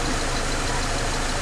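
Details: 2013 Subaru Impreza after engine replacement, warmed up a few minutes with cooling system fully bled, no bubbles or leaks: smooth, constant low hum at idle, no tapping or uneven beat; normal idle.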